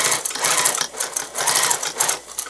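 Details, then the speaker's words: Sewing machine stitching: quick bursts of sharp, uneven clicking over the motor hum, a sign the machine needs oiling. "you hear your machine clicking like - you hear that clicking and you and you're able to oil your machine then have to sound to me that it needs to be well there we go"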